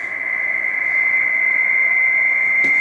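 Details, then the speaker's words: HF receiver tuned from 160 m to 80 m, near a 30 A CCTV switching power supply modified with extra capacitors: loud steady buzzing tone near 2 kHz with even hash, strong interference harmonic from the supply. "Claro que em frequências mais altas esse ruído vai sendo atenuado, como a gente vai ver aqui. Nós estamos 160 metros, que é a faixa mais suscetível a esse tipo de de interferência, né?"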